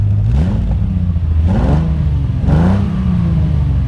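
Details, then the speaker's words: 1982 Ferrari 400i V12 with CIS injection and automatic, heard from the rear at the muffler tips: three smooth throttle blips climbing and settling with no misfire or clatter; a little black smoke, no blue, running slightly rich; normal revving. "know it actually sounds sounds nice you can see a little black smoke no blue but a little black running rich just a little bit there"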